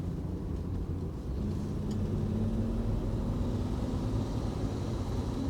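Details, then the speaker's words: Lifted Jeep with Y-link steering, driving after fitting new steering linkage and track bar: steady tyre and road rumble, smooth engine drone, no clunking; steering and suspension quiet and more responsive. "Tight, dude. Way better, huh? No more clunking. Way more responsive."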